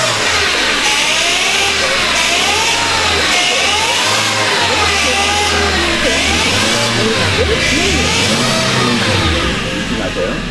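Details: Korean light car at first morning start, throttle blipped; wavering whine rising and falling with revs, worse with pedal pressed and easing when hot, first suspected power steering but traced to the automatic transmission with a clogged oil filter.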